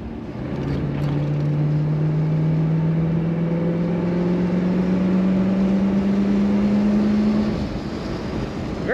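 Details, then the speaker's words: 1963 Ford Galaxie 500 convertible, 289 V8 with column-shift Cruise-O-Matic automatic, driving top down: engine note climbs smoothly under throttle, then drops cleanly at a firm upshift; nice acceleration; normal acceleration and shifting. "smooth running car nice acceleration firm shift from that automatic transmission"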